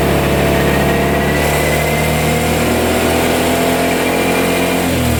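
Steady idle blipping into revs with a light metallic chatter riding over the engine; sounds like a noisy timing chain, not confirmed.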